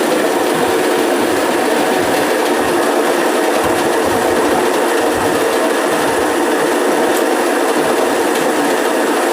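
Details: Homemade automatic motor coil winding machine, restarted after changing the slot and raising the set count above 300: steady even whir with fine fast ticking, no knocks or rubbing; laying wire smoothly, running normally.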